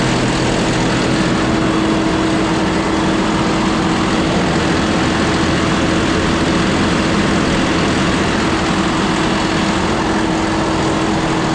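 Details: John Deere 5067E diesel tractor with 30 hours, after tightening the turbo boost-leak clamps. Runs steadily with an even drone and a faint steady tone, with no hissing.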